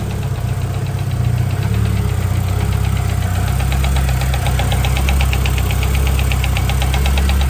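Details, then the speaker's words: Turbo Honda H22 in a CB7 Accord, first start after fixing a no-start, warming up at idle: quick, light ticking about four per second from one side of the head. The owner suspects valve lash needs adjusting again; it is quieter than before. "I definitely think that's the the valve latch needs to be adjusted again. It's not as loud as it was in the previous clip."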